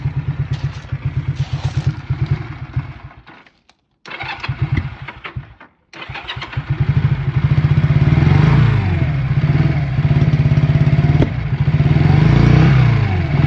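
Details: Honda CM motorcycle on a cold day, started after wrapping the exhaust headers: catches, stalls twice, then settles into a low, lumpy idle with uneven firing; rough running, cause not confirmed.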